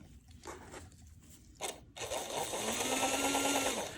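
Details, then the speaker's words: Varney 2-8-0 Canadian Pacific Consolidation model locomotive tested in reverse after cleaning, with the gear cover plate off: the motor whine has a rough, rattling chatter as the gear jumps out of mesh. The plate needs refitting. "helps if I switch it to reverse I think it was going faster forwards ah looks like my Gear's jumped"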